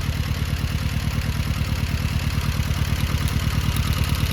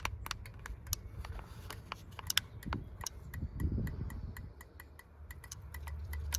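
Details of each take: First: Rover 200 mk3 T16 Turbo petrol, lumpy idle with steady low chuff about three times a second, one dead cylinder misfire; coil sparks, so a fueling issue, tappets or wiring fault is suspected; idle drops when a plug lead is pulled. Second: Rover 200 Mk3 T16 Turbo with a misfire: injector number 2 clicking crisply, about four ticks a second over a low rumble, when energised, so the injector works; whether its pintle opens is unknown.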